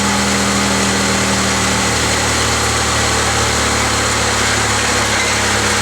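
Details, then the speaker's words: 2004 Mazda MPV 3.0 after fixing a cylinder 4 misfire by reseating injector connection: steady, even idle with smooth tone and no stumble or skipped beats under some hiss; runs cleanly, codes to be cleared and test-driven. "any case she's running smooth she's not stumbling so I'll clear the codes on it drive around little bit and see what happens"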